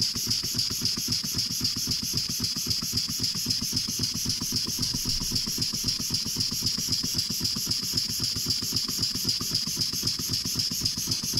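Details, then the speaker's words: Restored antique brass walking beam engine on air, after a new slide valve rod and steam chest cover: quick even exhaust beats, nearly four a second, under a hiss, with leftover rattling and knocking still present. The top packing nut still leaks. "beats are nice and even well other than the rattling and the knocking sounds that we still have"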